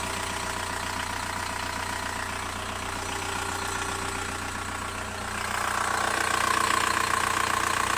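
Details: VW Bora 1.9 TDI diesel idling with a steady, fast ticking, about three ticks a second, riding over the diesel clatter.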